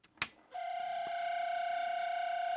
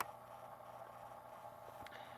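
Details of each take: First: 1970 Panasonic RQ-209AS cassette recorder in play mode with very loose, slipping belts: a steady, thin high-pitched squeal from the motor, a dry motor bearing; the fix is a drop of oil on the motor end (owner thinks it's mechanically governed). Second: 1970 Panasonic RQ-209AS cassette recorder playing, heard close up inside the cassette mechanism after cleaning, head demagnetizing, pinch roller rejuvenation and a new belt: quiet, steady whir with faint even motor hum, no flutter or squeal; healthy transport.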